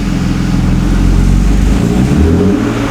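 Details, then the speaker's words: BMW E36 M3, codes P1188 and P1189: deep drone under light throttle wavers and sags, a stumble or bog; exhaust lumpy. Light throttle stumble. "so it bogs down when I give it light throttle now listen to the exhaust here now it's kind of lumpy"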